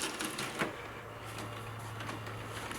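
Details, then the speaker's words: Panasonic SC-313 compact stereo found at the dump, running its CD-check feature: quiet whirring, light clicks and soft motor hum as the tray mechanism cycles smoothly without grinding. Normal CD changer cycling. "Yeah, just CD check. That's one of the really cool features of this unit. That way you can see all your CDs."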